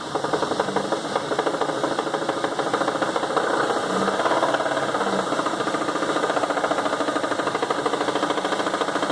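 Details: Chevrolet S10 engine with gas slowly applied: quick regular metallic knocking over the engine, louder and faster with throttle; deep internal knock, cause unknown.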